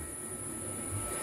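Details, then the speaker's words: NEMA 23 600 oz-in stepper motor energized at rest on a Gecko G540 microstepping drive: faint, steady, constant-pitch high whine; normal stepper sing from current in the coils providing holding torque. "and that's called stepper sing and that's caused because again we are dealing with a micro stepping drive to g540 and also because the coils of the motor are being charged you have electricity going through the coils in order to provide holding to it"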